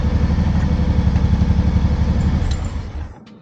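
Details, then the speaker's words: Honda PC800 V-twin, just after turning the carburetor synchronizer screw so the vacuum readings match: smooth, even idle at about four beats a second until it dies away; carbs balanced, normal idle. "Now you can see I turned it just a little bit, and now they're pretty much right on."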